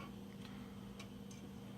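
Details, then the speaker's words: Jeep YJ straight-six engine, idling: steady low hum with faint light ticking from the injectors; normal straight-six sound, engine runs and drives fine. "You know, you hear the injectors a bit, and you know the normal straight 6 sounds, but other than that, it drives fine."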